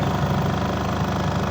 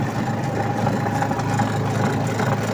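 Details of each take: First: Astro spin dryer with clothes inside, previously noisy underneath per owner, tested after repair with back cover off: steady even low hum at speed, no knocking or rattling; normal spin. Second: Astro spin dryer running loaded with clothes, back cover off, heard from underneath: steady low hum with rough buzzing rattle; owner reported noise underneath, caused by a loose suspension spring spinning under the drum; noise briefly stops then returns.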